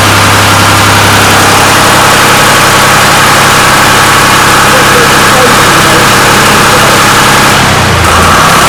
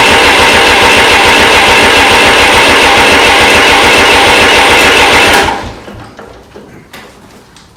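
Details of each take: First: 1993 Lombardini diesel generator, restored, started on an old weak battery: steady, even diesel idle with no knocks or misses, one brief dip near the end; oil pressure warning light went out instantly, indicating great oil pressure, normal idle. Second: Restored 1993 Lombardini diesel generator after bleeding the injectors: loud uneven diesel clatter for about five seconds, then it suddenly dies; runs rough and cuts out, suspected drawing too many amps and cutting the fuel relays.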